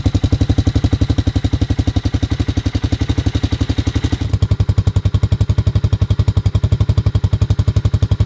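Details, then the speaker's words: 1985 Honda Big Red 250ES barn-find single-cylinder ATV with a new header and custom stainless muffler replacing the rotted factory one: crisp, even single-cylinder thump at about four beats per second at idle; healthy, close to factory sound. "so needless to say i am really happy with the way that this sounds the header turned out great as well and it definitely sounds close to factory"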